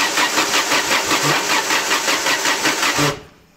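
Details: 1998 Peugeot 306 1.8 16v 110 hp with sequential LPG, run out of fuel, then sat 4 days: steady, even cranking for three seconds without firing, cranks but won't start; the fuel pump works.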